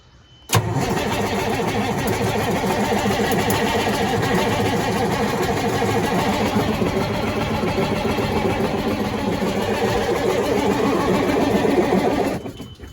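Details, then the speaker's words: Sterling semi truck with Cummins engine, sitting 8 years, ECU powered: starter cranks evenly about twelve seconds, no firing, no smoke; power wiring suspected, later fired when in-cab starter button pressed while cranking. Cranks but no start. "And we got nothing, no smoke. So now I gotta start checking power wires."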